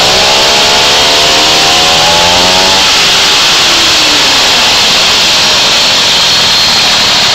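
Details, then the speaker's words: Moby two-stroke scooter after the variator was reinstalled, with 8 mm shims specified. A quick throttle blip brings a rough metallic rattle before the clutch engages, which fades once engaged. Variator rattle is suspected; fresh rings, and idle possibly high. "you hear that right when I hit the gas a little bit you get that you get that noise back again but it goes away after it engages"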